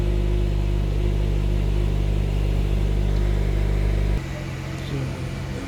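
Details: 2010 Honda CR-V after fixing the EVAP purge valve for P0171 lean code: steady, even idle with no stumble, then revs ease down smoothly; fuel trim now around −3%, down from about 46–49%.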